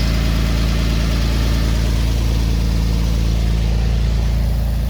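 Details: 1946 Chevrolet pickup straight-six at warm idle after a coolant leak patch: low, even six-cylinder hum with no misses or knocks; running healthy, though the alternator later whined, owner suspects it was full of antifreeze.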